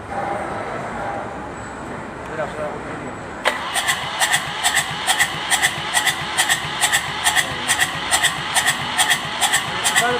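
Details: Kubota Z751 diesel engine that is hard to start; steady cranking at a little over two beats per second that never catches or fires.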